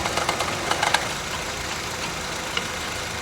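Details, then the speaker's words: Idling car engine with an irregular knocking that starts when the AC compressor engages and stops when it disengages: failing AC compressor. "activa el aire el compresor el aire acondicionado empieza a hacer ahorita el compresor puesto ahí deja de hacerlo"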